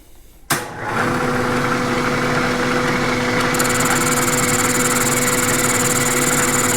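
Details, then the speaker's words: Machining the bore of a "non-serviceable" X231 steering joint with a boring bar. A steady, even cutting hiss with a constant tone and no chatter or squeal; a clean, good cut. "So far, it sounds like a good cut."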